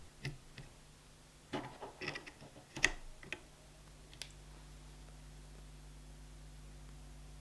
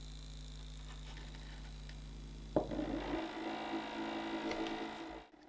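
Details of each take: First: Stepper motor on a TMC2208 driver using 256 microsteps, after swapping from the noisier A4988: only a faint steady low hum under room noise after some handling clicks, nearly silent even as the speed changes. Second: Stepper motor on an A4988 driver in full-step mode, Arduino-controlled, sitting on a wooden desk that amplifies it (no damping mounts): a low steady hum, then a rough buzzing rattle as the motor steps, typical full-step drive noise.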